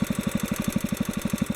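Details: Kohler K181 single-cylinder engine during carburetor idle mixture adjustment: an even thump at about seven beats a second with no hunting or surging, a steady healthy idle.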